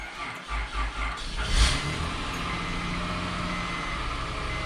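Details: 2004 Honda Pilot with a newly installed remote starter and a programmed key bypass, started normally: a few quick cranks, it catches cleanly at about 1.5 seconds and settles into a smooth, steady idle.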